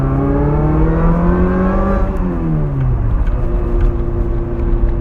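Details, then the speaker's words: 1989 Toyota MR2 Supercharged, K&N-style filter relocated to engine bay, MagnaFlow muffler, no cat: loud supercharger whine rising with revs, dropping on the shift, then climbing again; normal. "It's got a K&N style filter on it in the engine bay, so the whine is pretty loud on it. So yeah, the whine's pretty loud, so you can hear"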